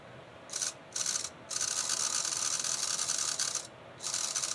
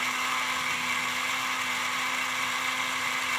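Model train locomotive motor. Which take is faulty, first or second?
first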